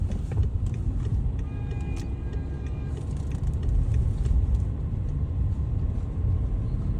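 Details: BMW 530d diesel interior while driving after a DIY propshaft centre bearing replacement: steady low road and engine rumble with no droning or whining from the transmission tunnel, showing the failed bearing noise is fixed.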